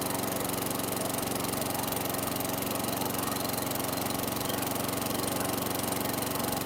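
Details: 2008 WeedEater 22" mower, Briggs & Stratton 500 series 158cc (10T50), flooded under six feet of water, after maintenance: single-cylinder putters at steady even beat, no misses or surging, still smoking from oil in muffler; running normally.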